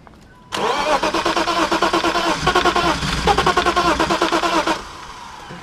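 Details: BMW 325is cranking steadily at about three compression beats a second for four seconds without firing, while the fuel pump fuse is being checked; pistons are mentioned as a possible cause. Cranks, no start.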